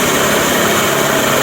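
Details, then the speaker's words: Yamaha NMAX scooter after crankshaft repair (bolt-type thread), crank pressed tight: smooth, even note at steady speed, no knocks, ticks or rattles. Normal, healthy running. "Yuk, gas dulu. Gas dulu. Halus. Ketika udah nge-pres pasti halus suaranya."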